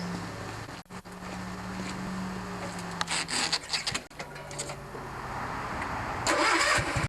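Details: Kohler 16hp Magnum single-cylinder on a Yard Pro lawn tractor, test run after carb cleanup and reassembly, mixture screws set 1 1/2 turns each; catches and holds a steady idle with even pulses, no surging or popping, running as it should.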